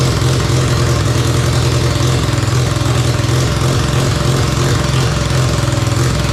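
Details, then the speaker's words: Mazda RX7 12A rotary barn find that sat for years: heavy, lumpy, surging running on starting fluid only. Powering the carb solenoids didn't help; it won't draw fuel even with a full float chamber and cuts out when the spray stops. Owner may try another carb. "I can only get it to run on the start you bastard"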